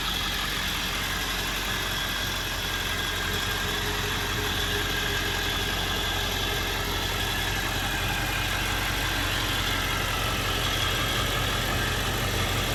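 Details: 1999 Ford F-350 Lariat Super Duty 4x4, 7.3 Powerstroke V8 diesel, 46,385 miles: steady, even diesel clatter at idle with no misses, knocks or surging; normal healthy idle.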